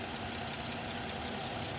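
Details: 2006 Suzuki Vitara petrol engine idling steadily with an even, low hum and no misses or knocks; the vacuum hose has just been plugged back after an induced vacuum leak, so the idle drops lower again during MAF/MAP sensor testing.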